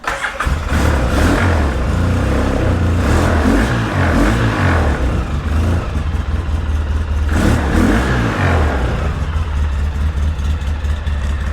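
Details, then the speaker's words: 2003 Polaris Sportsman 700 twin running on choke with old gas and a half-gummed carburetor; it won't run without the choke. Uneven, lumpy running that surges and sags without settling, then dies. "I love the way these two cylinder Polaris sound when they're running and not dying like that."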